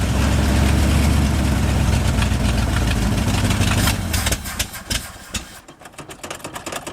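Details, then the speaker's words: 1971 International 1890 plow truck, abandoned since 2001, after carburetor rebuild and fuel line replacement: low, steady lumpy idle holding on its own for a few seconds before dying away; normal idle. "seems to want to stay running pretty cool"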